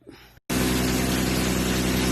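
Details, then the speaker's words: 1994 BMW 325 (E36) petrol engine after smoke-testing and fixing an intake manifold vacuum leak (MAF fault code 1215): steady even idle with no intake hissing; leak appears cured. "so it sounds like all my vacuum leak is cured"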